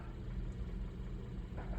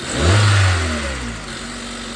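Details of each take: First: 2012 Hyundai Accent 1.6L at warm idle with codes P2187 and P2191 (lean at idle and under load): faint uneven chug, engine shaking and jumping; rough idle, owner suspects carboned-up valves or vacuum leak, later fixed with SeaFoam and electronic throttle body cleaning. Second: 2012 Hyundai Accent 1.6L after SeaFoam treatment and electronic throttle body cleaning (codes P2187, P2191): it catches, flares up, drops back, flares again and settles into an even idle; the earlier chugging and shaking are mostly gone.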